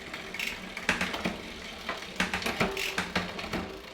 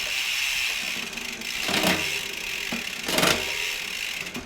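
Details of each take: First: Shimano Deore M6100 12-speed with 10-51t cassette on Trifox bike, after B-tension adjustment: freewheel ticks with crisp clean clicks across the cogs, no grinding or chatter; normal, smooth derailleur shifting. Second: Shimano Deore M6100 12-speed with 10-51t cassette on Trifox bike, newly installed: ticking and ratcheting with clunky uneven shift bursts; rough shifting from too little B-tension, fixed by adding more B-tension.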